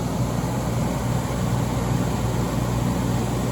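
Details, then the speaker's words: Late-1980s Emerson Quiet Kool 10,000 BTU window air conditioner, coils cleaned, on low speed; compressor up to speed, barely audible. Low steady hum with no knocks, rattles or clicks, running quietly and smoothly. Normal compressor running. "the compressors you barely hear the compressor start up i mean you hear it start up a little bit but most of that compressor is silent"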